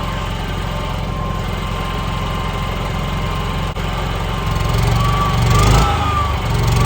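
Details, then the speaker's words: NPS 5500 inverter generator outside RV, one 15,000 BTU air conditioner switched on, ramped to about 40% throttle: steady low drone with mild lift in speed as load comes on, smooth, no knocks; normal running under load. "You can hear it. You know, that's one air conditioner running. It's ramped up probably about 40% throttle. So it's definitely a difference."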